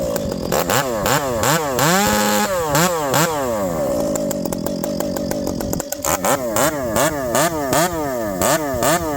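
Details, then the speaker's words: Ported Stihl MS460 chainsaw with a homemade pipe, making cuts in wood: quick rises and falls in pitch with sharp, eager revs between cuts; this pipe is snappier and gets up to speed faster than the other pipe; normal revving. "This pipe, friends, listen to it, it's snappier. It gets up and going way faster than the other pipe."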